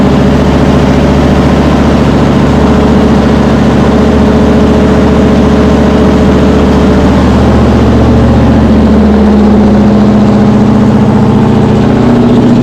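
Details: Cold V8 with a Brawler 650 CFM double-pumper carb (mechanical secondaries; timing 16° initial, 36° total), idle mixture just turned 1/4 clockwise: steady idle, uneven and slightly high, with a loping rumble, running rich after flooding and still burning off old fuel.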